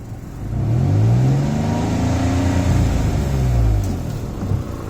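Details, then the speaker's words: 2003 Nissan Pathfinder in two-wheel drive, check engine light recently on. Revving up and down gives an uneven, stumbling note with slight sputter, and exhaust smell in the engine bay; owner suspects an exhaust leak being drawn into the engine. "and then you hear it sputter a little bit yeah i'm getting a lot of exhaust over here up in the engine bay"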